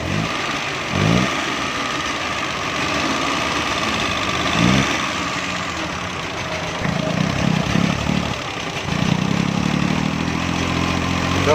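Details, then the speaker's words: Suzuki Mehran 796 cc running on gas will not rev and backfires loudly; stumbles on each blip with sharp pops and no clean pickup, traced to a weak ignition coil supplying too little current, coil to be replaced. "ये गाड़ी रेस भी नहीं ले रही और बैक बहुत तेज़ लगाती है।"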